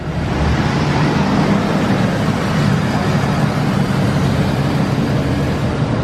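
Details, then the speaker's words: Newly bought cheap vehicle with 320,000 miles, transmission with no gears: steady even idle with smooth low rumble and no expected lifter tick; engine sounds healthy. "Wow. I really thought it was gonna tick. It sounds good."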